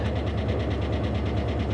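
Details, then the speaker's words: Dodge Charger Hemi police car, tornado-damaged at Copart, 63,460 miles: fast, even ticking over steady idle keeping pace with engine speed, possibly valvetrain/lifter; hoped to be from sitting parked and to clear up, but doubtful. "well she's got a healthy tick going on I'm hoping that maybe it's been parked for a while and that's going to clear up"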